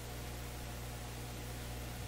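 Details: Canadian General Electric C701 tube console, powered up via dim bulb, heard through headphones/microphone: constant low mains hum under even hiss, no program; faint hum not audible to ears directly, source uncertain.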